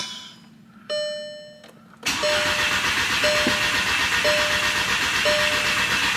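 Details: VW MK6 GTI with a replacement engine: dash chimes, then steady cranking about four beats a second with a repeating warning tone and no firing; one ECU shows immobilizer active, the other key not found.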